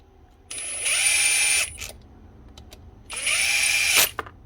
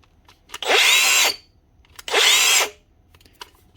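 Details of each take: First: Makita DGA456 18V cordless grinder, 2019, after stator field packed out and head bearing replaced: four short bursts spinning up to a clean steady high whine, winding down freely without grinding; normal run. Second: Makita DGA456 18V cordless brushless grinder, from 2019, stiff to turn: two short high-pitched rough scratchy spin-ups that die quickly; worn bearing in the head and stator rubbing on the rotor.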